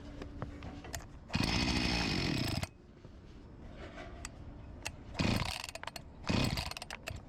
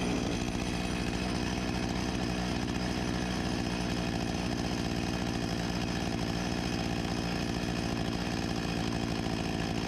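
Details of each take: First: Discarded Husqvarna 254 G chainsaw after fuel line replacement, startup test: catches in short bursts, revs a second then fades each time; starving for fuel, tank cap O-ring leak and carburetor membranes to be replaced. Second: 1989 Husqvarna 254 G two-stroke chainsaw after carburetor refurbishment and new fuel line, idle being set to about 3000 rpm: steady, even buzz with no hunting or stumbling, running healthy.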